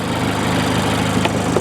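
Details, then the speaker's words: Mazda Miata at auction, about 100,000 miles, aftermarket headers and modified exhaust: steady, even idle but loud and raspy free-flowing exhaust note; runs good. "it's got headers I didn't even see that aftermarket yeah headers I guarantee see that's not stock she runs good though she runs good"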